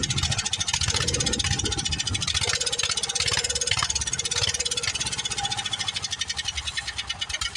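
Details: Old Wheel Horse tractor single-cylinder engine, fired up: catches and settles into a fast, even popping beat with no misses; runs steadily and healthy.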